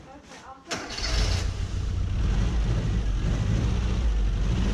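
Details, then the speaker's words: 1990 Mini ERA Turbo cold start: short crank, then a deep idle with an uneven, lumpy beat that smooths once warm. Owner suspects a leaky exhaust valve. "so start it up okay is a little bit lumpy on idle but once it warms up it's okay so that that might be a leaky exhaust valve or something like that"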